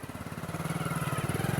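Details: Bajaj Pulsar 220, bought 2011, about 11 years old with 60–62 thousand km, single-cylinder idling with a quick even beat and a light tick on top; owner suspects clutch, scissor gear and timing chain, not confirmed.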